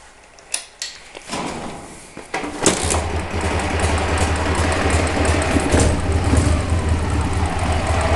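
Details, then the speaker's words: Owner hears a knock or noise when the clutch pedal is pressed: engine fires after a few cranks into a steady idle with a faint, uneven rattle underneath, source unclear; clutch noise when pedal pressed. "у меня как бы появилась такая проблема когда выжимаю вступление является какой-то шум то ли стук то ли шум Я не знаю не могу понять"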